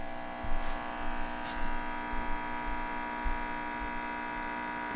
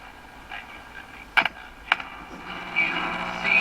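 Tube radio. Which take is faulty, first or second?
second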